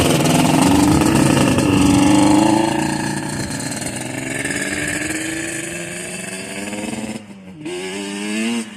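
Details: Yamaha Banshee two-stroke on its first start after a top-end rebuild: crisp buzz that climbs and drops cleanly with the throttle and picks straight back up after a brief dip; running healthy.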